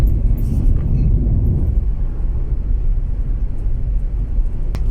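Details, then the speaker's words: 2009 Hyundai Santa Fe diesel that sat over a month under a tree and wouldn't start, now repaired: road test after revving to 5,000 rpm, steady low rumble with road noise, no knocks or misses; runs normally. "subukan nating paandarin ulit mga boss yan umandar na t saka yun hanggang 5,000 yung RPM natin diyan"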